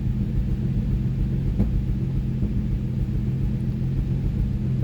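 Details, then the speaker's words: Nissan 350Z after a cylinder misfire, with coils swapped between cylinders and codes cleared. Smooth, even idle rumble with no skips; the misfire was a spark plug, though it still smokes from burning oil. "Ayan, mukhang wala na yung spire."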